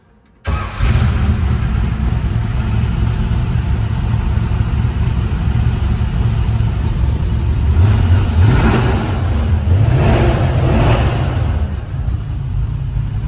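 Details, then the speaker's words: 1967 Ford Mustang, rebuilt 289 V8 with C4 automatic, fresh aluminum intake, dual exhaust, 51,385 miles: quick catch on the starter, then a deep, even V8 idle with two clean throttle blips, settling back smoothly; normal cold start and idle. "Fresh aluminum intake as well. Sounds good. This baby wants to go."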